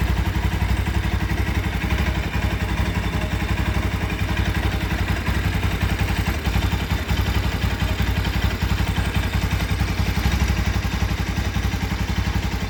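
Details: Bajaj Rouser 200 NS at steady idle pulsing about four times a second with a loose, clattery mechanical rattle on top; source of the clatter unclear.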